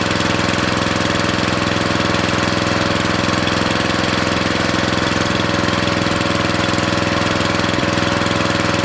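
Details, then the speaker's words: Briggs & Stratton 13.5 cast-iron-sleeve riding mower engine, rerun with air filter back on after suspected oil in cylinder from engine tilted on its side; fast crisp steady single-cylinder beat, no stumbles or knocks, smoke burning off; good running. "Yeah, that's running way better. That's exactly, I think, what it was. I mean, less and less smoke all the time. It's just burning it off."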